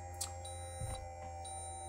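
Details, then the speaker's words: 2024 Newmar Bay Star 3014 motorhome hydraulic leveling pump retracting all four jacks, ignition on and parking brake set: steady low pump hum with a short high beep repeating now and then; normal operation. "so once I do that retract all you can hear the pump come back"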